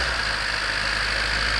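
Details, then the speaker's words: 1991 Honda CRX DX, D15B2 dual-port, 300,000 miles, cold start at 30 degrees outside, idling: busy rapid metallic clatter over engine hum; owner unsure whether rod knock, piston slap or valve clatter; sounds better as it warms. "so is that rod knock is that piston slap valve clatter everything not sure"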